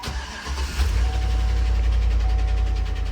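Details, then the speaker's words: Ford Crown Victoria ex-Indianapolis police car, V8 just after start-up at idle: a loud, quick steady tick at roughly four a second over the idle. The lifters are badly worn, apparently driven a long time while ticking. "Wow, that is loud. That is so loud. So loud. Holy cow. Okay. Yeah. Lifters are bad with that one."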